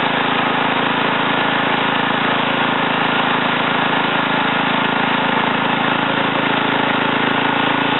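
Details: Ariens TA20A Trans-a-matic rototiller after engine rebuild and plate-clutch repair, carburetor untouched, tilling in a wooded area: steady single-cylinder drone, even beat about three per second, no stumbles; normal running.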